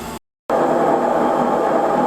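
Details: Kenmore front-loading washer model 417.44102301 after replacing the drum bearings with a bearing and seal kit: a smooth, even whirring spin with no rumble or grinding. Much quieter than before.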